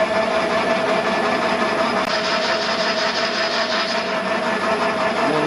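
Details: Raglan 5" lathe on a generic AT1-style inverter, tested through a new remote in forward, reverse and jog, then set to 50 Hz: steady mechanical whirr with a constant mid tone and light rhythmic gear chatter. Running smoothly at set speed.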